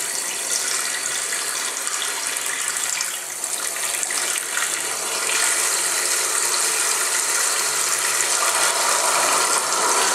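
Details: Newly installed Tres Griferia Cuadro basin mixer tap roars with harsh hissing water and a fast rattling chatter; the supplier, the contractor and the manufacturer's fix have all failed to solve it.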